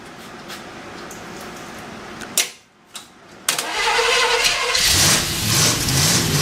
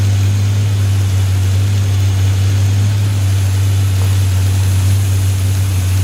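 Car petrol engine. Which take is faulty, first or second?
first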